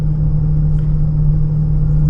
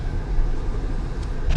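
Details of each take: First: 2015 Honda Pilot, 64,000 miles, driving at 25–40 mph: steady low droning airplane-like whine that grows when steering left and quiets to the right; likely driver's side wheel bearing rather than VTM transfer case. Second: 2015 Honda Pilot after wheel bearing replacement, hub nut torqued, road test at about 40-60 mph: only steady tyre and road rumble, no whine or growl rising with speed; earlier bearing noise gone.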